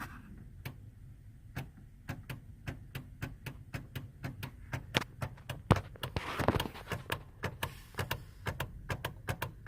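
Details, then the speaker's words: 2003 Hummer H2 with key stuck in ignition, dash panel removed: sharp dry clicks about one a second as the harness is flexed; loose or shorting pink wire to ignition switch making and breaking contact. "You guys hear that? That little click. Turns out that this little pink wire that's right here, I don't know if that can focus any better, but that pink wire right there is a wire that I guess goes to the ignition switch."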